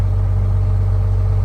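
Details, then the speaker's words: 1979 Pirsch fire truck with two-stroke Detroit diesel, 73,000 miles, long retired and sitting, started easily after battery fight: deep steady low rumble, even beat, nothing rattling; healthy idle. "She's just sitting here purring. I figured it'd start right up. Those old Detroits are tough to beat."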